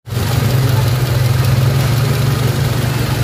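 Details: Toyota RAV4 engine catches at once after a cranking-but-no-start fault was traced to a wire and fixed, settling into a steady low hum with no misses, knocks or surging; healthy, even idle.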